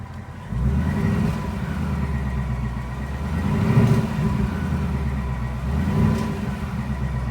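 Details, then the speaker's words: 2020 Ford Mustang GT PP1 with 10R80 automatic at 800 miles, warm after cold start; whine rises and falls with throttle, absent when cold, present since new, alternator-like but not; Ford says normal transmission whine. "And I'm going to gas the car up and down the throttle, and you can hear the whining noise going up and down. It sounds a lot like a alternator that's going out, but I assure you, it is not."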